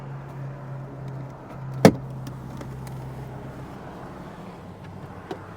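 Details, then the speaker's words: 2014 Porsche Cayenne, auction red-light-lane purchase, idling with hood open, no dash warning lights: quiet, steady low hum with no misses or knocks, one handling click; idles smoothly, no vibration, smoke or steam. "No vibration. Runs fantastic. Doesn't smoke, doesn't steam."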